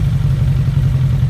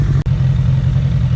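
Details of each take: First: 2001 Suzuki Bandit 1200S four-cylinder after carb sync with a vacuum gauge kit: deep, steady, even idle burble, no misses or hunting; carbs balanced and healthy. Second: 2001 Suzuki Bandit 1200S four-cylinder before carb sync, vacuum gauges showing carbs way off: warm idle with uneven, lumpy low burble and wavering beat instead of even patter; carburetors out of sync, about to be adjusted.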